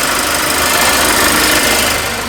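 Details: Mercedes-Benz engine running after the workshop repaired its abnormal noise, not start-up variator-gear or chain-tensioner noise: even, steady engine note with a bright top end and no heavy knock; sounds healthy.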